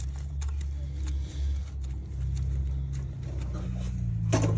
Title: This is a bad wheel bearing